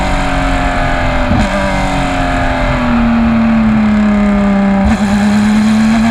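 Hard-pulling race engine note climbing through the gears with slightly uneven, stumbling beats under load; sounds like it's misfiring.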